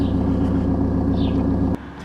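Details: Ford Mondeo MK4 starting after the ignition switch was replaced because the key would not turn past ignition. A steady, even low idle hum with no knocks or misses lasts under two seconds before it cuts; the engine runs cleanly.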